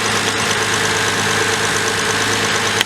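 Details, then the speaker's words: Chilly December cold start, engine view, of a car just back from dealership maintenance, apparently the 2000 Toyota Avalon XLS (239,468 miles, original engine): steady, even idle with a smooth hum and no misses or knocks; runs well. "runs super good. She was just in the dealership for some maintenance recently."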